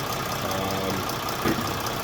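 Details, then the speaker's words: Mercedes OM642 diesel in a Jeep WK Grand Cherokee CRD after timing chain tensioner replacement, run down to its lowest idle: steady, even, smooth low rumble with no knocks or rattles; normal idle. "everything sounds great I'm going to give her a little rev there just to make sure everything still sounds great"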